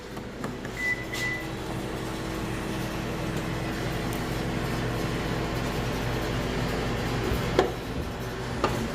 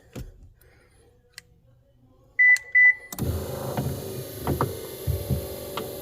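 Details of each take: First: 2015 Subaru power liftgate after tightening a loose nut on the gear/motor mount: steady low motor hum as the hatch travels, only a couple of isolated taps, no repeating click; clicking gone. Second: 2015 Subaru rear power liftgate, prop rod removed: a couple of beeps, then the hatch motor hums with uneven clicks and knocks from the gear; hatch stops partway. Loose gear mount nut on the liftgate drive gear and motor.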